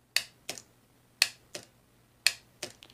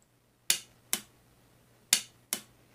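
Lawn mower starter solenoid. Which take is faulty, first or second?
first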